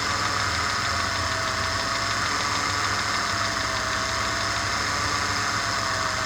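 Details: Engine at steady idle with a dull, regular knock under the engine note, keeping time with revs: a connecting rod that has come loose (unscrewed) is knocking.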